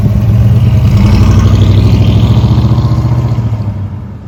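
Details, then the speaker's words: 1965 Ford Ranchero after a new cam, lifters and timing chain replaced a ticking valvetrain, running at about 2,000 rpm during cam break-in: even low thrum with no ticking or knocking; it sounds and feels good, normal running. "You like it? I like it. It sounds good. Feels good too."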